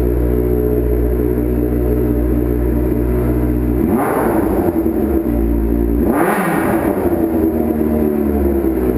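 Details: Street bike after starter rebuild (owner's starter had failed when hot), started with a little choke in winter: even, steady idle with two clean throttle blips rising and settling smoothly; normal running.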